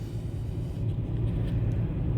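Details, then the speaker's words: 2005 Toyota Tacoma, P0301: lumpy uneven idle right after start; after swapping cylinder 1 ignition coil to cylinder 5, scanner shows misfire moved to cylinder 5, confirming faulty coil. "Aquí está aquí se pasó el Miss fire Miren el cilindro 5 miren allí arriba dice miren cilindro 5 Ahí está la falla hoy cilindro uno no hay falla"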